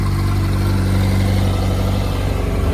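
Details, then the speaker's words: Yamaha R1 after starter clutch repair, running on used oil to flush out copper debris, with the big-end bearing checked: smooth, even low idle with a steady beat and no ticking or knocking. The earlier knock is gone and the engine sounds healthy. "She's definitely quiet."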